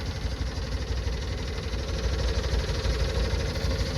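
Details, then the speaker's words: Subaru 360 two-stroke van, engine off and low on gas: the electric fuel pump ticks rapidly and unevenly while priming the carburetor. The pump is struggling to get fuel, a sign of fuel starvation. "whenever I hear an electric he'll pop knocking like that it means struggling to get fuel so let's see if we can fill this thing up a little bit"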